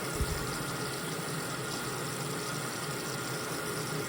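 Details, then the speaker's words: LG front-load washer with IE code, after replacing hot and cold water valves, in diagnostic mode: probably main water valve filling, steady hiss with even hum, no chatter; normal fill. "the reason why I'm doing this I think this is the main water valve right now and the next one will be the pre-wash water valve which is the one in the middle"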